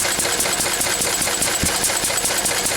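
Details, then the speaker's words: Lister D single-cylinder diesel, run after a few days sitting, a screw adjusted, owner thinks around 700 rpm; crisp, evenly spaced clatter at steady speed, no stumbles or hunting; running quite well. "you just have keep playing with it didn't Dr you know Li once there but it's running quite well now is it"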